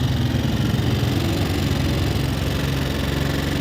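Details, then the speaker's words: Yamaha Fino scooter, odometer unreliable, owner says the engine oil ran dry: steady idle with dull mechanical chatter on the beat from the engine top end; rocker arms to be checked, cause not yet confirmed. "เสียงเครื่องยนต์ดังอยู่ช่วงบนมีเสียงเครื่องยนต์ดังอยู่ชุดบนนะครับ"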